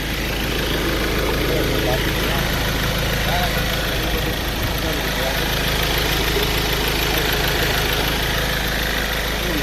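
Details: 2015 Ford Ranger after a no-crank no-start repair involving cleaning relay contacts: steady even idle with a smooth low rumble and no misses, knocks or hunting; runs normally.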